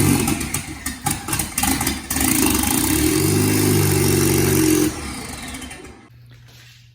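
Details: DF Goblin project car: the engine catches and settles into a steady, even low drone for a couple of seconds before shutting off. Normal idle.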